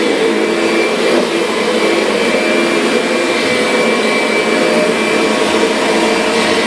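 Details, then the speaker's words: Kirby Sentria vacuum after impeller replacement, loose carpet having stalled the brush roller: loud steady rushing whine of constant pitch, no rattle or flutter, running well. "it's a fantastic machine though yeah this thing is doing a great job"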